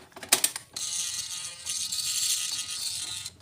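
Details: Yamaha NMAX (new model) with a no-start where the in-tank fuel pump gave no hum at key-on; after a fuse check, a couple of clicks, then a steady high buzzing whir of about 2.5 s. Normal fuel pump priming.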